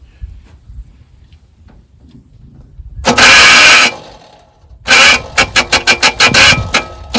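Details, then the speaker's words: 1977 Pontiac Grand Prix, 6.6L 400 V8, junkyard car unstarted 20+ years, fuel poured down the carburetor: catches in ragged bursts firing unevenly about three times a second before dying; vacuum leaks, exhaust probably clogged too. "There we go. We got too many vacuum leaks. We got to fix that."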